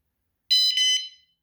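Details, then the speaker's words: Hidden vibration alarm (120 dB, one of two) on a Pebl, armed: a short shrill two-pulse chirp after the remote was set down on it, the warning "go away" beep. "That was me just putting the remote control down on this thing here, and it bounced the alarms a little, and it made that beeping. That's a go away beep."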